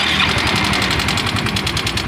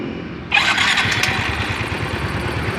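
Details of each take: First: Yamaha Mio M3 scooter, rough-sounding and lacking power: fast sharp metallic ticking about eight per second over a harsh idle; mechanic suspects the cam chain. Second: Yamaha Mio M3 scooter, previously rough and weak, after repair reassembly: quick start, then a steady, even putter holding speed with no top-end rattle; normal running.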